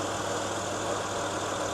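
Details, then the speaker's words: 2014 Honda Ridgeline with A/C on, after condenser fan motor replacement: engine idling with steady even fan whoosh, no humming or radiator shaking as before; fans blowing the correct direction, repair successful. "so as you can see our radiator is not shaking all around like it used to everything seems to be totally good fans blowing the right direction"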